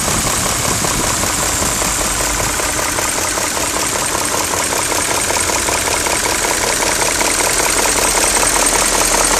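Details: BMW E39 M5 at steady idle with a rapid, even tapping of about two and a half knocks per second; knocking noise, owner suspects VANOS, unconfirmed.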